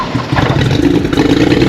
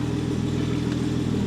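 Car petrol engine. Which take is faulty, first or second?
first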